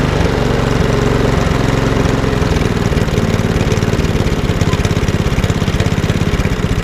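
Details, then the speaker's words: Lawnmower with RV 150 engine and Briggs airbox, started once the microswitch was sorted: idle hunts at about two beats a second, wanting to cut out; owner suspects a dirty airbox, needing slight adjustment and a service. "okay it was a bit of work it's not idling correctly dozen wants to cut out"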